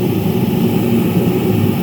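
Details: Reddy Heater 70,000 BTU/hr with new pump parts, pump pressure being raised to about 4 (it had been cutting out at 4.7; injector cleaning considered): steady, even burner roar and fan hum, no sputter or surging; running properly.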